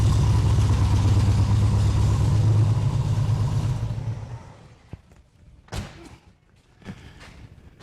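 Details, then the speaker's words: 1972 VW Super Beetle engine after static timing set at TDC: deep, loud chugging idle with steady low pulses, then shuts off; louder than it should be, owner suspects an exhaust leak, unconfirmed. "uh this one for some reason sounds a lot louder than it should so I don't know if we got an exhaust leak going on or what"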